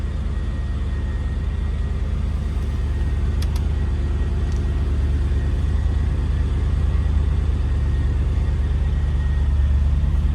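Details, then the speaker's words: S52-engined BMW after winter storage with a battery that went flat (charger misconnected): steady, even idle with no valve-train ticking; healthy. Owner hears the electric fan possibly rubbing, likely on the charger lead. "Even the valve train sounds good. Usually S52s are kind of cranky when they've been let stand."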